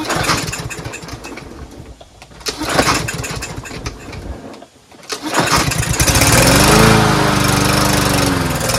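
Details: Troy-Bilt TB110 push mower that would not start, after a carburetor clean with good fuel and clear lines: the small single cylinder pulls over after a few tries, catches and settles into a steady, even run.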